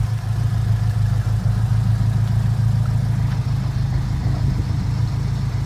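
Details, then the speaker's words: 2001 Acura Integra Type R after sitting about 10 years, first start after refresh and valve cover repaint, cams pre-oiled: smooth, steady low idle with an even beat; quiet, no ticking, no overheating or smoke. "Yeah, it sounds awesome. It's quiet, everything's working, it's not overheating, it's not ticking, it's not smoking."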